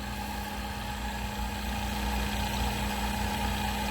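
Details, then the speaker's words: Vacuum Atmospheres HE-43 glove box circulator blower, gas circulating through box and purifier, then being switched off: steady hum with constant mid-pitched tone and smooth low rumble, winding down, no rubbing or rattles; normal. "if you want to shut the circulator off you go ahead and hit this button here so if you can hear that but it's winding down up through the blower right inside here it's circulating"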